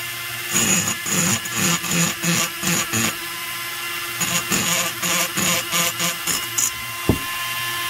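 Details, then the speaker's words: Die grinder porting the lower transfer ports of an Echo 670 chainsaw cylinder: uneven high-pitched grinding in short repeated bursts as the bit bites on a hard spot in the casting. "now i got a little hard spot you can hear it i got a little hard spot down in here so i'm just gonna work that spot"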